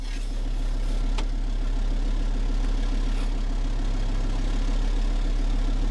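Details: Engine running on wood gas from a gasifier, slow-idling about 25 minutes while holding proper temperature: slow, even low rumble with a steady beat and no knocks or misses; smooth normal idle.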